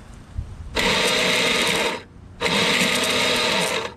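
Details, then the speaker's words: Craftsman lawnmower, Briggs 6.5HP Quantum engine, keystart: two bursts of high, even electric whirring with no engine turning over; starter free-spins on a stripped drive gear. "so it appears that this motor spins right but whatever gears the motor spinning to turn this gear isn't is stripped"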